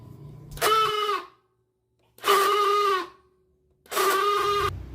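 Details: Honda Beat scooter with new battery and normal battery voltage: pressing the electric starter button gives only short buzzing groans, engine never cranks; mechanic suspects the starter motor (dinamo starter).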